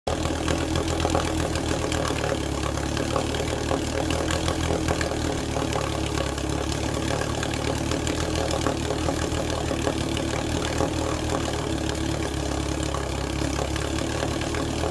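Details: 1948 Sea King 5 HP outboard on first start and break-in run after mechanical rebuild: smooth, continuous engine drone holding steady speed with no knocks or misses; runs well, though more work remains.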